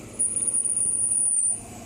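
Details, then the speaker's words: 30-year-old 1992 AC condenser fan motor, squeaking again about 22 months after oiling: thin, very high-pitched intermittent squeal over low motor hum, then fades; to be oiled again. "i was criticized in the first video because i didn't show the squeak or hear the squeak it's just intermittent"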